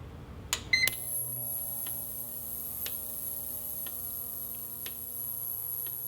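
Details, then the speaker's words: Injectors from an E85 race car pulsing slowly in an Autool CT200 ultrasonic cleaner: steady high-pitched ultrasonic whine with evenly spaced clicks about once a second as injectors open and close. Normal operation. "So the clicking that you hear, assuming you can hear me talking, the clicking is the injectors opening and closing real slow. And the ultrasonic part of it is the vibration sound that you hear."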